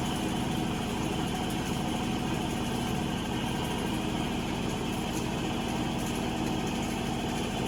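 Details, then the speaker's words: Avanti TLW 21D2P portable washer, draining nearly done and spinning: even motor whir with steady drum spin, no knocking or grinding; normal spin cycle, though drain pump had not pumped water out. "The water is almost out. It's spinning."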